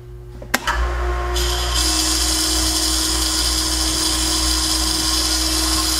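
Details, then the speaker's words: Jet pump returned on a warranty claim, bench-run on quick temporary wiring: steady motor hum with a gritty grinding like gravel, coming from the motor side; cause unconfirmed, likely not repairable. "All right, so after running the pump, there's definitely an audible kind of grinding noise. It sounds like there's gravel or something. And it seems to be emanating from the motor side of things."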